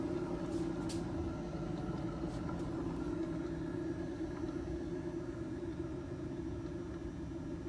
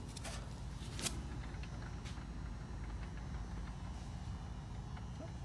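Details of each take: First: The rear wheel of a 2012 Nissan Sentra spins with a steady low hum and rumbling undertone, said to get louder with speed. The rear hub bearing is worn and is to be replaced. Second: 2012 Nissan Sentra rear wheel turning freely on a lift, good side with only a low, even rumble and no hum or growl. The bearing is healthy, unlike the opposite hub, which hums.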